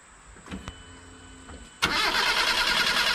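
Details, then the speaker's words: Proton Wira, engine hot after about 10–15 minutes running, stalls suddenly and won't restart until cooled. Faint clicks, then steady hissy cranking with no firing. Fuel pump heard on key-on. Hot no-start traced to a faulty crankshaft position sensor. "Sudah. Okey. Langsung tak nak hidup."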